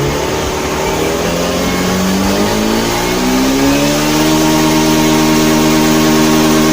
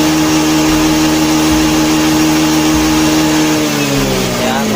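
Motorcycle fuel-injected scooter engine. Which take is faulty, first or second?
second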